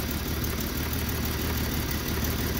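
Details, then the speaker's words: Free Jeep: idle chugs with an irregular low beat instead of a steady hum, no codes stored, smoother when revved, slow to return to idle; rough running, cause not yet known. "right now it doesn't have any codes right now so right now it thinks it's running beautifully because you can see it's just kind of chugging around"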